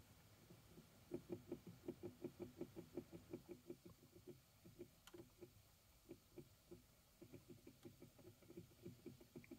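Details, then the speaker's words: 2012 Chevy Equinox HVAC blower motor at raised fan speed: steady train of hollow clicks, under three a second, with burnt motor smell from the vents; failing motor that sometimes stops working and won't restart. "can hear it making a clicking sound and oh boy it really stinks coming out of these vents"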